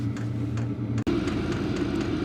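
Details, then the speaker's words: Wippro 8kW diesel heater turned up to level 10 (high) in a shop bus, still ramping up with strong heat: a steady rushing blower roar with faint regular fuel pump ticking, running evenly. "okay so I did turn it up to level 10 so we got quite a bit of it's ramping up still got quite a bit of heat"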